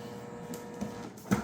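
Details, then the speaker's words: Creality CFS filament changer: quiet small-motor whirring with soft clicks in short spurts as it rotates backward and stops over and over without feeding. "I just keep going rotate back. I'm going to stop over and over and over again with a stop."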